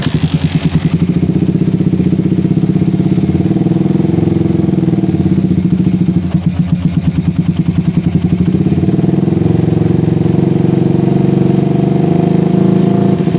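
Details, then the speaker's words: PE24 carburetor motorcycle after fitting a smaller needle jet (head nozzle) in place of the previous one: steady, even idle with regular low thump and no stumbling or surging; idle more stable and revs crisp on air-screw adjustment, unlike the previous jet. "nah suara idle lebih stabil lagi guys ya berbeda sekali dengan head nozle yang sebelumnya kita pasang di sini suara idle lebih stabil lagi"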